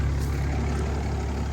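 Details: 2012 Ram 2500 6.7L Cummins turbo diesel after fuel filter change, idling with no fuel leaks: deep, steady even low rumble, no misses or hunting; runs smoothly.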